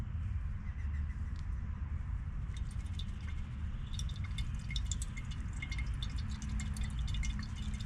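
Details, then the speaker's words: Nissan Skyline GTR (R32) oil change after little winter driving: catch can draining, scattered light drips over a low hum, only a little fluid, smelling of ethanol. "Alright, so now we're going to go ahead and drain the catch can. As you can hear, there's just a little bit in there. It's not too bad."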